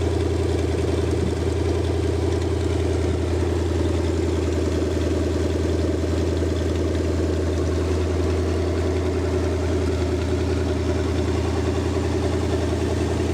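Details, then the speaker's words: Rebuilt show-quality Lincoln 368 Y-block V8 on an engine run stand, not yet fully warm, 70 psi oil, just over 1000 rpm: smooth even regular beat, no ticks or knocks — normal idle. "you you I hope everybody got a pretty good perspective of how well this motor runs it is ready to be dropped in its a show-quality motor"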